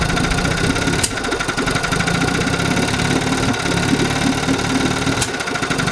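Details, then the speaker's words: 1952 Johnson Sea Horse 5 hp outboard (TN-28), revived after sitting 50 years, with ignition points, coils and condensers fixed and the carb cleaned. Steady, even idle with a firm beat and a few clicks; it keeps running with one plug lead pulled, so both cylinders fire. "so let's see if it's running on two and yes you can definitely hear a difference when i disconnect one but it continues to run so we know both cylinders are firing"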